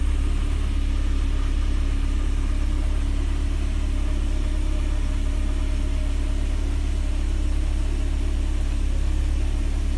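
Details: Mercedes 190E (W201) with prior cold-start trouble, after cleaning the cold start valve connector contacts, started cold after a night at 26°C ambient: smooth, even low rumble held for ten seconds, no misses, knocks or hunting; healthy warm-up idle.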